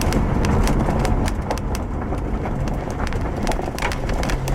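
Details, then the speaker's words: 2007 Subaru Outback road test after replacing the failed left rear upper strut mount that clunked and squeaked over bumps; microphone in the rear by the upper strut mount: steady road rumble, light plastic ticks from loose quarter-panel trim, no clunk. "well okay I am pleased with that result I'm going to say that any noise that you probably heard was that rear quarter panel piece was actually sitting on top of the camera"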